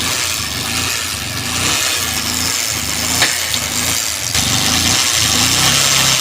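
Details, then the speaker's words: Bajaj Pulsar 150 single-cylinder engine at idle: harsh, rattly clatter over an uneven beat, sounding very bad; abnormal engine noise, cause unknown. "लेकिन इसका sound का बात करें तो बहुत खराब आ रहा है।"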